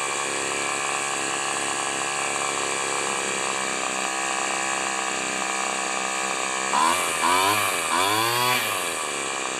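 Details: Owner's two-stroke weed eater, carburetor adjusted rich, leaking fuel cap: steady high-pitched buzz and clean throttle blips; running fine after mixture adjustment.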